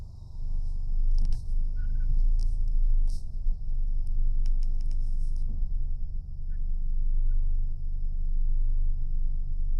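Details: 2025 Toyota 4Runner on the road: a steady high-pitched brake squeal holds throughout over low road rumble, with a few chirps on top.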